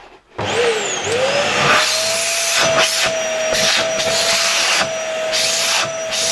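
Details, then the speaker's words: LG V-3340D vacuum cleaner after its loud-running motor was replaced with a new no-name Chinese motor, dust bag refitted: strong, steady high whine with a clean rush of air, pitch holding even, very good suction, no smell; normal running. "Okay, I think it works very well. It doesn't stink. It has very good suction."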